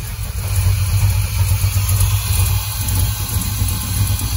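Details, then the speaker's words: Chevy Monza V8 after complete Painless Wiring rewire, EFI: lumpy, uneven low idle with a stumbling beat, like running on only four cylinders; running rich from incorrect injector part number data in the EFI. "sounds like it's only running on four cylinders where's the temper wow [Music] that's running like crap"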